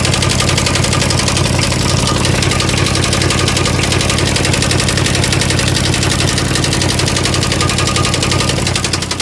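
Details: 1989 Chevy Caprice Classic V8 at idle: loud idle with steady knock about three per second over heavy rumble, knocking every time it's started; source not yet found.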